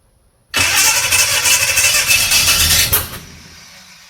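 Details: 1969 Chevrolet C10 with a 396 big block that had sat for roughly 20 to 28 years. The starter spins the engine steadily for about three seconds at roughly three turns a second, and it never catches. Cranks but won't start; they suspect the timing is off, possibly too advanced.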